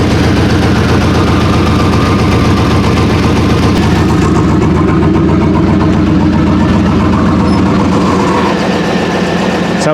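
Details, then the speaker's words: Chevrolet Silverado single cab V8 with an electric exhaust cutout: deep, steady idle with even, muffled note, no knocks or ticks; sounds like a healthy stock truck. "like a stop truck it just needs power throughout right"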